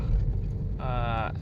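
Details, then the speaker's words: Limo Gen 3 car test drive on rough embankment road after replacing long tie rod, worn-out arm bushing and collapsed shock absorber: steady low road rumble, no clunks or knocks from the front end; suspension now normal. "setelah ganti spare part tadi, kita coba cek masih bunyi gerdek apa enggak. Setelah dicoba ini udah nggak ada sih suara gerdek-gerdek."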